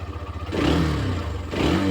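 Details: Hero Xtreme 125R single-cylinder, in neutral: idle pops steadily, then two quick throttle blips rise and fall cleanly without knocks or rattles; revs should not exceed about 8,000 rpm; engine sounds healthy.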